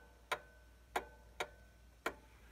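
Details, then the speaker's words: 1800s clock after the chime was adjusted and the case was leveled by shimming one side: ticks alternate long and short gaps, a limping tick-tock. It runs better than before but the pause remains, so it is out of beat. "you can hear it running better than it was you can still hear that pause"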